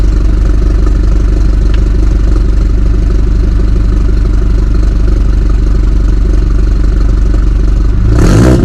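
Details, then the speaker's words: 2018 BMW 430i Gran Coupe (F36) with modified B48 four-cylinder, cold start: a fast, even idle with a rough tractor-like exhaust throb at about four pulses a second, then a brief blip. Normal. "so yeah man that's what she sounds like in a cold start um it's not crazy but she sounds good bro like for real for four banger she sounds good she got that little tractor sound"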